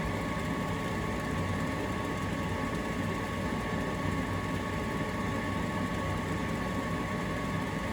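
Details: Heil ICP gas furnace, after trapped water in the draft inducer housing: soft, even inducer whir with no gurgling or sloshing; runs quietly and normally.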